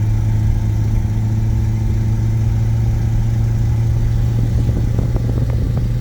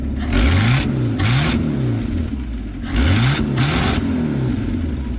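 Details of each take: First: 1950 Buick Super, 125 hp overhead-valve straight-eight, automatic, almost 4,000 lb, driving on the road: deep, steady, boomy drone, louder than before. Exhaust leak at the manifold doughnut gasket after a failed fix attempt; a new gasket must be ordered. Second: 1950 Buick Super, 263 engine, just after new accelerator pump and needle and seat fitted in the carburetor: revs rise and fall cleanly on each blip without stumble; exhaust gasket leaking slightly louder than normal.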